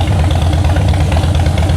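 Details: Salvage-auction wrecked 2013 Harley-Davidson Heritage Softail, idling while seats are fitted; deep, even lumpy V-twin beat, steady with no clatter or knock. Exhaust sounds real good, normal idle.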